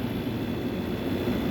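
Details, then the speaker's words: Air conditioner with a suspected faulty thermocouple and short cycling; condensate dripping, line sweaty: low, steady, even hum with no rattles or knocking. Compressor running normally, owner thinks it is not low on charge. "Compressor sounds great. I don't think this thing's low on charge cuz this thing will freeze out the garage no problem when it's running properly and not short cycling."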